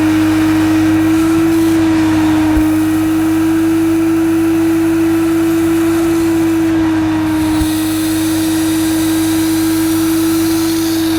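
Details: Mid-1990s (c.1994) Hoover Aquajet Electronic S4488 shampooing carpet with attachment removed: steady even motor hum with pump running smoothly, no surging or rattling; pump and motor fine, only drag wand position and solution-tube kink need sorting.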